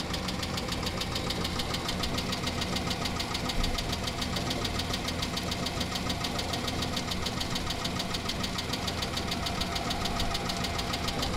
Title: Chrysler 300M 3.5L knocking noise